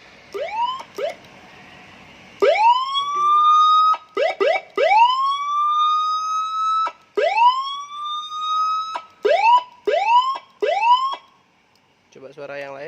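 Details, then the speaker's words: Sirino siren module on a 12 V battery supply driving a speaker, at reduced volume, after replacing the failed TDA2005 amplifier IC with a TDA2004: clean rising wails in even bursts with steady pitch. Siren working normally after repair. "Nah, kita tes dulu. Nah, ternyata suaranya normal."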